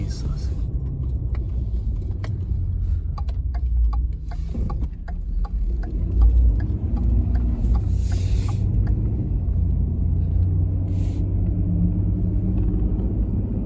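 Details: 2014 Ford F150 3.7L road test after an intermittent no-start was fixed with a new starter, fuel pump and a sensor: low, even engine rumble under road noise, pulling smoothly with no knocks, misses or stumbles; runs healthy.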